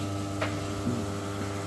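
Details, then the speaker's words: 2200 UPS in battery backup mode running a gas water heater's controller during a power cut: steady electrical buzz with hum and whine; heater still works, noise stops when back on mains line mode. "the UPS is some backup mode so it's working but that noise is driving me crazy"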